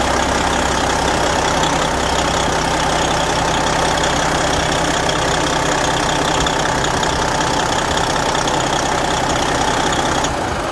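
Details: Detroit 60 series diesel in a Freightliner truck after replacing a misfiring injector (Jake brake housing removed) idles smoothly with an even, steady beat and no skips; normal idle.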